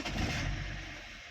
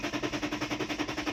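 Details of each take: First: 2010 BMW E60 3.5 diesel, 285 hp, hot, fuel pump powered by bypass wires: brief crank, then engine catches at once and revs up, starting cleanly; pump audible, normal start. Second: 2010 BMW E60 3.5 diesel, 285 hp, hot after running about an hour: quick even starter cranking about 3.5 beats a second, pause, more cranking that never catches; crank-no-start, fuel pump not running, no voltage at pump, errors 6292/6293.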